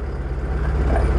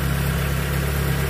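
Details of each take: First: Proton Wira stumbling (semput) when hot after about 5 minutes of driving, unstable engine: low lumpy idle pulsing unevenly; misfire traced to a leaking ignition coil sparking. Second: Proton Wira that stuttered and hesitated once hot, after fixing the faulty ignition coil. Steady, even idle hum with a stable RPM needle and no shaking, misses or surging; the engine runs smoothly.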